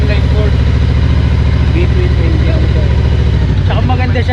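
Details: Benda Dark Flag 500 Commander, 500cc V4 with belt drive, stock classic exhaust: steady, even low idle with a deep, regular exhaust beat and no knocks or misses; healthy stock exhaust note, normal idle.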